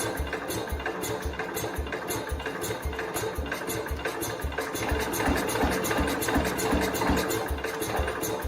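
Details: 1969 Cub Cadet 105, given throttle: uneven chuffing about three a second, catching and coughing but never running on its own; owner suspects incorrect engine timing and plans to pull the engine.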